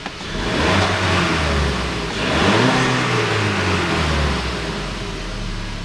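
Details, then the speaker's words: 2014 Volkswagen Beetle 1.4 petrol with DSG gearbox, 49,500 km, after the boost pressure sensor was refitted and the P0236 code erased: the engine revs up cleanly twice and settles, with crisp throttle response and the fault not returning. "ошибка Не повторяется не вылазит работает отлично На приёмистость отличная"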